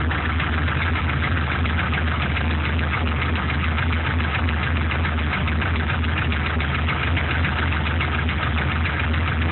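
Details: Warm V8 idle after 5–8 minutes running, LS1 block from a C5 Corvette in a truck: light, fairly quick tick over a steady low rumble; owner suspects piston slap or something else; runs strong, no leaks or smoke.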